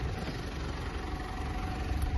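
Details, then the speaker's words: Mitsubishi L200 Triton 3.2 diesel after timing chain replacement, heard from inside the cab: low, smooth, even idle with no ticking or rattle; the chain noise is gone and the engine runs normally. "olha o barulho do motor agora pessoal Zerou o barulho Zerou o motor da tampa de válvula tudo certinho"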